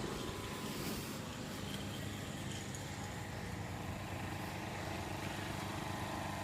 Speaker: I run this generator. I mean, I'm talking like I'm right on top of this generator. You hear the sound popping out of you. But actually, it's very quiet.